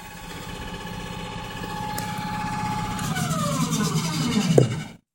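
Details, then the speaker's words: Mysterious whirring behind TV stand, loudest near ground, with everything unplugged; steady whir slowly drops in pitch then cuts off abruptly, ending the same way every time; source unidentified. "okay and that it ends just like that every time"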